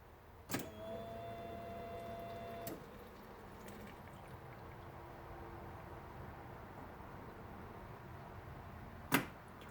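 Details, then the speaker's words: Polaris RZR fuel pump test, second key turn: a click, then a short thin electric whine of about two seconds as the fuel pump primes, then quiet; pump strength uncertain, cause suspected, not confirmed. "You can hear the clicking of the solenoid for the fuel pump there."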